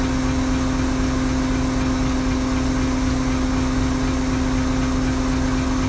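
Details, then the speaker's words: Toyota Tundra 5.7L supercharged, stock-cam exhaust sound at cold idle: steady, even V8 rumble with a constant mid-pitched whine from the external fuel pump at the rear; water dripping from the exhaust in the cold. "uh so yeah here goes the stock Tundra exhaust sound"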